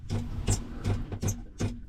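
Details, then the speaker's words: Raytheon Type 1 ST6000 sailboat autopilot rotary drive, case off, long unreliable: the motor hums with a pulsing surge about every 0.4 s and strains. Inner parts turn but the rudder won't move; the clutch is possibly slipping. "so yeah it's trying oh wow stop oh interesting this part in here is it's turning like it's doing something but it's not able to turn the whole Rudder"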